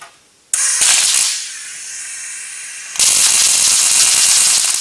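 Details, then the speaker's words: Riland MIG 2000T multi-process welder with setting bumped up from near lowest: harsh loud crackling hiss with rough stuttering bursts instead of a smooth sizzle; wire feed speed far too fast. "okay speeds way too fast way too fast for what we're trying to do"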